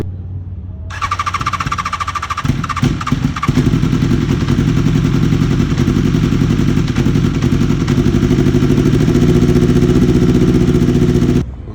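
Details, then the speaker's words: BMW S1000RR that suddenly lost power about 25 miles into a ride: lumpy, uneven idle with a weak, irregular beat and missing pulses, sounding like two cylinders firing. Multi-cylinder misfire. "Yeah, I'm totally stumped. I have no clue why it sounds like that. It's definitely not firing on all cylinders, that's for sure."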